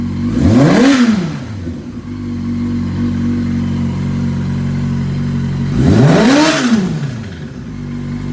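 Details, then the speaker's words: 2005 Yamaha R6 project bike, engine hot and cranking over slowly: two sharp revs from idle bring a light metallic rattle low in the engine as revs rise; cause not yet found. "a little rattle in the engine there it comes something right in there"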